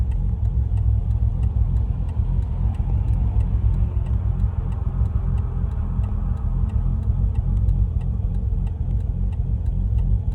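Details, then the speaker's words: Bridgeported Mazda RX-8 at about 3,000 miles idles with a deep, uneven, lumpy, loping rumble at the roadside. It misfired badly under throttle with the engine light flashing, and it couldn't idle properly with the electrics on, so accessories are switched off. "Cuz basically last time when when all the electrics were on, it couldn't idle properly."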